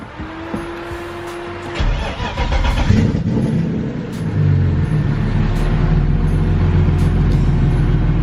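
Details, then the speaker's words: BMW E36 just after swapping a faulty aftermarket mass airflow sensor for the OEM Bosch one while chasing a vacuum leak and rough running: starter whirs, engine catches and flares, then settles slowly into a slightly lumpy idle, still showing the rev hang. "we'll take that it runs still does that weird rev hang thing but I'm gonna thrash this thing anyway so I don't really care"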